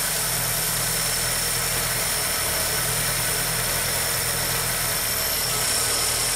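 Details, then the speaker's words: 1985 VW Rabbit Cabriolet convertible with Bosch CIS K-Jetronic fuel injection, previously running very rich then dying, now repaired: even, steady idle with a constant low hum, no misses or hunting; normal idle. "the running bad and the rich problem actually started while we had the car but it's running good now"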